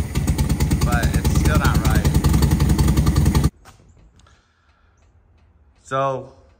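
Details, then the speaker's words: 1972 VW Super Beetle barn find, runs after cleaning points and adjusting distributor timing; rough, lumpy idle with skipping cylinder, still a miss somewhere, timing helped slightly, owner suspects carb needs adjustment: engine misfire at idle. "let's see what we got still got a Miss somewhere all right just the timing that's definitely a little bit better"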